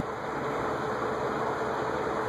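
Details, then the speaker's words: Vintage Venton/VEC cast-iron 48-inch industrial ceiling fan, possibly 1970s or earlier, on high speed: even whoosh with slight motor noise, no bearing noise; normal running. "No noise on high. A little bit of motor noise, but no bearing noise."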